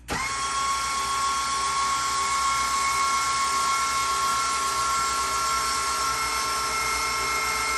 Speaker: I'm really happy with the you can hear it's so much quieter it's no clicking I'm very happy with this